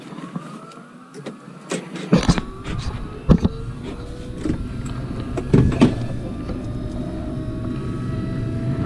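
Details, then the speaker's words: Carrier Infinity furnace in pressure switch fault: the inducer whirs to a rising hum while debris rattles and thumps down the flue pipe. Birds found in the flue were blocking the exhaust. "sounds like stuff's coming down this pipe so let me see what I can do here"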